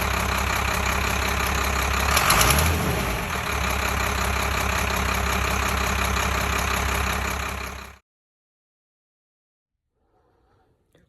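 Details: 1993 Fleetwood Bounder diesel pusher, sat two years, just restarted after fuel-system priming with fresh diesel: steady, even diesel clatter at settled idle for several seconds before shutoff; runs healthy.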